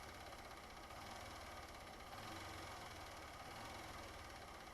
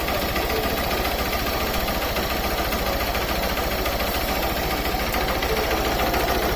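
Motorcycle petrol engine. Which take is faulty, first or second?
second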